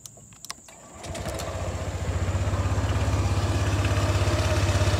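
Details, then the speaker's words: Honda PCX160 CBS after one year of use, at idle: engine catches and settles into a fast, even thudding idle with a low rumble that is still rough; owner thinks replacing parts might smooth it. "cuman bunyi gluduk-gluduk nya masih masih kasar ya kalau diganti mungkin udah halus"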